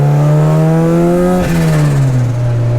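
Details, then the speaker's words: Turbo Integra test drive checking transmission whine and popping out of gear: revs climb, drop cleanly at the shift into third and pull on with no grind or clunk; sounds and feels good. "And that's going right into third. Sounds good, feels good."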